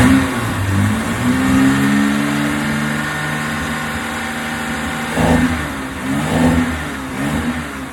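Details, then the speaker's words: After fixing several simple faults causing a misfire, engine picks up cleanly through a few revs and drops back smoothly, even firing with no stumble; now running healthy, better than the day before. "Yeah, it sounds better than it did yesterday, that's for sure."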